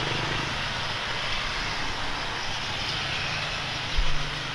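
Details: Speedybee Mario 5 DC FPV drone with Axisflying 2207.5 1960KV motors, T-Motor 5146 three-blade props and a DJI O3, test-flown after repair of stuttering motors. The roar stays steady with no cutting out; the motors sound normal.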